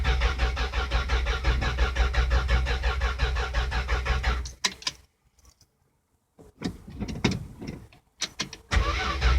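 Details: 1974 Dodge Dart with a 1972 slant six swapped in: even starter cranking at about three beats a second for several seconds, then it stops without catching. Cranks but won't start.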